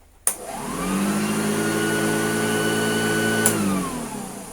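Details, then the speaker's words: Hoover Junior vacuum, compared against other Hoover Juniors: the motor spins up quickly to a steady, smooth hum, holds an even pitch without rattles, then winds down cleanly; described as how a good Hoover Junior should sound. "because that is what hoover jr should sound like if you have a good hoover junior it should sound like that"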